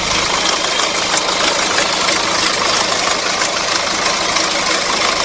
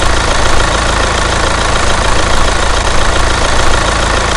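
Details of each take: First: Hyundai Santa Fe DM with R diesel engine, listening at the timing side at idle: loud regular metallic chatter about three per second at engine front; timing chain stretched from poor maintenance by previous owner, needing chain, tensioner and guides replaced. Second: Hyundai Santa Fe DM R diesel engine, heard at the timing side at idle: an even, normal clatter with no stretched timing chain rattle, indicating a healthy chain.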